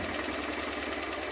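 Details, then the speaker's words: Honda Transalp V-twin, probably a 1996, after adjusting both carburetors' air-fuel mixture screws about one turn out to cure unstable rough idle: steady even idle at 1100-1200 rpm, no stumbles or hunting; normal idle. "I think here is the right place between 1100 and 1200 RPMs. Now the engine working very good."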